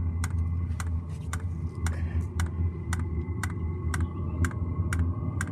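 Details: New diesel heater just installed in a Jayco Freedom caravan, heard from outside at start-up: sharp, evenly spaced dosing-pump ticks about twice a second over a low steady hum; normal fuel pump ticking.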